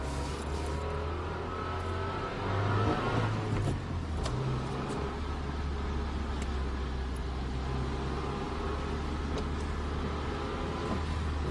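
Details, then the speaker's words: 2004 Honda Civic 7th gen manual, 129,598 miles on clock: quiet in reverse and first gear to about 3,000 rpm, then rough grinding under acceleration load in forward gear; worn transmission input shaft bearing. "sounds pretty much okay in Reverse at least and in first gear she's quiet up to like 30 uh 3 Grand see quiet but there it goes the grinding noise sucks"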